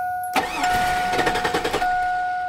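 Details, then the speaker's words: 2002 Chevrolet Avalanche crank no start: starter churns about a second with a few firing puffs that never catch under a steady chime; fuel pump has power, but pressure seems too low, pump suspected. "okay I'm beginning to think it's the fuel pump okay because it's it's starting to put fuel into the engine but it's not enough fuel pressure to keep feeding the engine"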